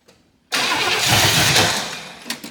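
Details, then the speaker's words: 1977 Pontiac Grand Safari wagon, 301 cu in V8, parked 30 years, running on brake clean poured in: catches loudly, runs about two seconds then dies; carburetor suspected completely plugged. "Yeah, I think this carburetor is completely plugged because we filled up the float bowl and we aren't getting anything except what goes down it."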